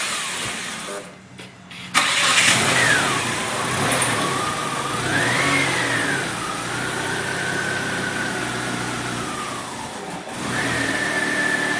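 Starter grinds on through a long crank before the engine catches, then idle settles with a whine rising and falling as it revs; starts hard.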